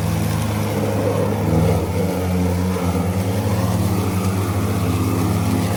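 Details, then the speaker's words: Ryobi ZR3 80V 42-inch brushless zero-turn mower with 14Ah lithium NMC batteries cutting wet grass: loud steady blade drone sags and dips as wet clippings clog the deck and the blade motors bog down; advice is to slow down so grass discharges from the chute. "It's wet and it's clogging. >> Yeah. Try it again. You should be able to hear the blades bogging down. Do you not hear that?"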